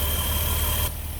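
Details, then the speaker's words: 2008 Dodge Caravan 3.8L idling to purge air from the cooling system after an overheating and coolant-connector repair. The owner thinks no damage was done. A steady, even low hum with no misses, knocks or hiss: normal idle. "i'm going to just let that go for a while purge out all the air and uh think of a road test home make sure everything's good i think we're fine i don't think it hurt anything"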